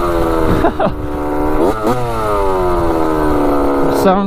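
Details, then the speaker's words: Rebuilt 1985 Yamaha YZ80 two-stroke dirt bike, warm, on its first ride: a crisp ringing climbs and drops cleanly with the throttle, no misses or bogging, and pulls healthily. The silencer is not working well. Normal running. "good yeah she's sounding pretty good that's crazy obviously the silencer is not really working too great but uh yeah she's ripping good"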